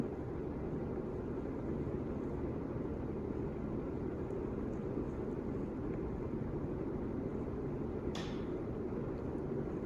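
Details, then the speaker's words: 1985 Casablanca Victorian Gallery Edition ceiling fan, 40 years old, on high speed in reverse; steady, even whoosh of heavy airflow, helicopter-like, with no ticking, rubbing or wobble thump; much less wobble than forward, running normally. "All right, but now we're on high. Funny enough, there's considerably less wobble in reverse. I find that very interesting. Thing sounds like a helicopter with how much air it's moving"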